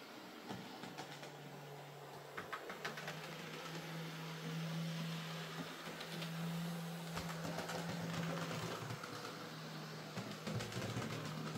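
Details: Hornby J15 model locomotive, slow and noisy since new, after a motor replacement: gentle, even motor hum holding a steady pitch as it moves, light track clicks and no rattle; now running a lot quieter and smoother.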